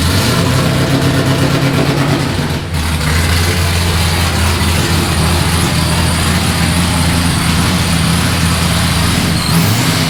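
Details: Nissan S15 at first start-up after engine build, with a newly welded exhaust just fitted: it catches quickly and settles into a deep, steady exhaust rumble with an even beat and no knocks or rattles. Normal idle.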